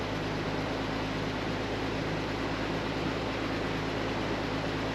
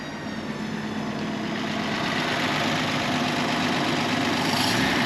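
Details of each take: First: 36-year-old Toyota Land Cruiser 60 Series, cold start after 24 hours sitting, following fuel sender cleaning and fuel line rework. A steady, even low idle with no fuel pump whine or misses; temperature reads well below midway. A normal cold idle. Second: 36-year-old Toyota Land Cruiser 60 Series idling at about 850 rpm after fuel sender cleaning: a thin, constant high whine sits above the engine note. Fuel pump suspected of screaming; not confirmed.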